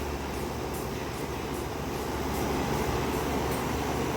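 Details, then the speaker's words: PTAC unit after refrigerant leak repair and recharge with 21 oz (1 lb 5 oz) of R-410A: steady, even rush of fan air over a low compressor hum, no rattles or knocks; low side pressure and discharge temperature good, running normally. "uh the unit is working in pretty good shape so this unit is ready to go"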